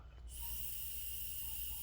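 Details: 2008–2012 Ford Escape 3.0L V6 EVAP purge control solenoid, removed and tested by blowing through it: a steady airy hiss as air escapes through a valve that should be sealed; codes P0456 very small leak and P2196/P2198 O2 stuck rich.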